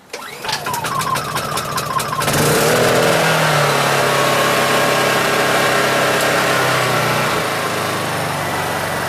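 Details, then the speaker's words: Honda EU2200i generator restarted warm after running about a minute, with the choke engaged: it catches and settles into a steady, even run with no misses or knocks. A healthy warm start. "Now, when it was running for whatever, minute or so, if you turn it on and engage the choke,"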